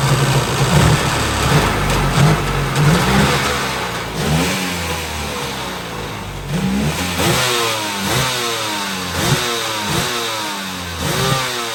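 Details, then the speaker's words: Used jet ski two-stroke, seller claimed it ran great; first run after carb flush, gaskets refitted, snaps up through repeated quick revs and drops back cleanly with no stumble or misfire, no leaks; running healthy. "as you can see it pretty much rips there does good no leaks around this that's the main thing I worry about"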